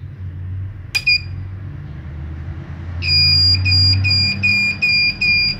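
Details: 1000 W pure-sine-wave inverter (test no. 9, failed start) trying to start a 1/2 hp motor pump: shrill high beeping about 2.5 per second over a low hum; inverter overload alarm on failed start.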